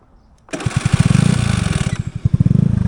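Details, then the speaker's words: Honda NVS50 Today 50cc scooter; engine catches but a high whirring whine continues over it for a second or so as the starter motor fails to disengage correctly; starter motor not disengaging. "So, you can hear right off the bat that the starter motor doesn't quite disengage in uh correctly. So, that is one thing that we'll need to sort out."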